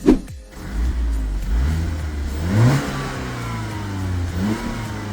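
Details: BMW 116i with the N43 engine, after new NGK spark plugs and ignition coils cured a cylinder 1 misfire and fresh oil went in: revs climb and drop smoothly with an even, clean note and no stumble or skip.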